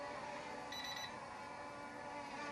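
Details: S1S Max drone in outdoor daytime flight in light wind: brief burst of quick high-pitched beeps over the steady motor hum; warning alarm, possibly low battery, and it is landed for a battery swap.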